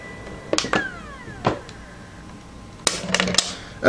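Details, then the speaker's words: Polaroid USB Blu-ray drive stopping and ejecting a disc: thin whine falling away as the disc spins down, with sharp clicks and clunks from the tray mechanism; a noisy, cheap drive. "So, let's hit stop and see how the wine goes when you eject the disc. It's like someone's shutting it off. What a cheap piece of junk."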